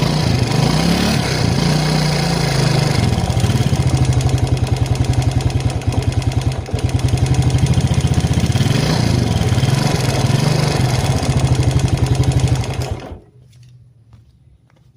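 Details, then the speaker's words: Yamaha Jupiter Z Robot motorcycle idling: fast, light tek-tek ticking on every turn over a low thrum, then the engine shuts off; worn camshaft suspected, with valve clearance or cam chain tension also possible causes, not confirmed. "Ya, kira-kira bunyinya seperti itu ya, Teman-teman ya. bunyinya tek tek"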